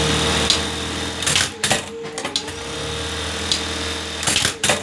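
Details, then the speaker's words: Buttonhole machine after oiling the oil reservoir under the cam: fast light ticking from the head over a steady motor tone with brief clatter bursts, noise much lower than before. "ये देखिए दोस्तों, इसकी आवाज़ जो है वो बिल्कुल पहले से बहुत ज़्यादा कम हो गई है।"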